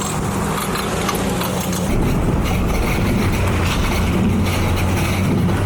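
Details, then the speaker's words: 2004 Chevy Silverado driving: steady low road drone with faint rhythmic clicking following wheel speed, from passenger side; worn front wheel bearing, fixed by replacing hub assembly. "God, it sounds so bad. You can hear that it has a rhythmic clicking. It's definitely coming from the passenger side."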